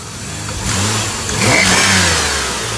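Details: 2007 Pontiac G6 petrol engine revving: a thin high squeal rises with the throttle, worst on acceleration and at cold start; an exhaust leak found at the back under the beauty cover, owner unsure if it's the source, also suspects tensioner pulley or intake manifold gasket.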